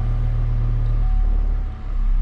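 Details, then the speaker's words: 2005 Chevrolet Colorado after PCM replacement, in park warming up for the crank variation learn, idling until at least 158°F: deep even rumble at steady low idle, no knocks or misses; healthy idle. "we are in park and now it needs to idle until it reaches at least 158° F so we're going to let it warm up to that point"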